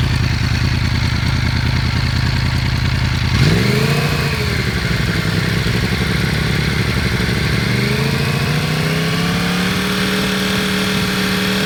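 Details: Yamaha R1 inline-four at idle, then 3,000 and 5,000 rpm: light mechanical clatter rides over the exhaust note throughout; abnormal engine noise, cause unclear.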